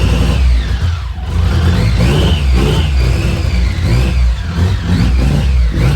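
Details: BMW K75 motorcycle after restoration and fixing intake manifold vacuum leaks behind starts-then-dies and rough idle: low, steady engine note with a few easy throttle blips, no misses or stumbles; running smoothly.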